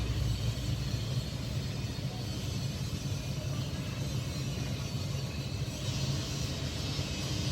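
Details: Samsung 18000 BTU R22 home air conditioner after condenser fan motor bearing replacement (608 bearings) and cleaning, previously weak cooling and noisy outdoor unit: steady low hum, even airflow, no rattle or bearing growl; current about 6.5 A, condenser fan running normally.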